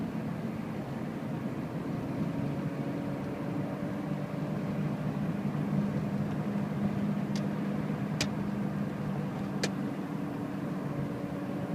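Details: 2006 second-generation Toyota Prius, about 180,000 miles; petrol engine runs loud and rough with a low drone and sharp ticks about 30 seconds after starting after sitting, worse accelerating. Owner hopes valve adjustment fixes it; cause unconfirmed.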